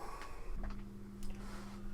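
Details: Amstrad CPC MP1 power unit just plugged in for AC voltage checks; seller reported a fault. Steady low mains buzz with no fizzing or popping, transformer humming normally; outputs read about 20 V and 8.7 V, seemingly working.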